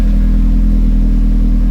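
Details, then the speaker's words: Nissan R34 Skyline with turbo on E85, just restarted after fuel-system work: deep, steady idle rumble with an even beat and no misses, knocks or rattles; lambda near 1, normal idle, though the owner suspects the turbo is failing under revs. "Sounds good. All right, cool. So, I let it idle for a while. Everything's still running fine."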